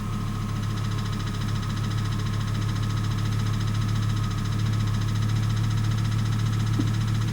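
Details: 1998 Volvo S70 T5 at idle, first noticed as a ticking noise: deep, steady, even knocking about three to four beats a second, which turned out to be rod knock.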